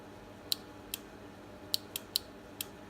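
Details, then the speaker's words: Harbor Freight Badlands winch on a Grizzly ATV, control box opened with its two relays: only sharp, dry clicks, about six in three seconds, with no motor hum. Faulty winch relays click but never run the motor. "take it out and you have two relays and these are the culprits so I'll demonstrate see if you can hear it"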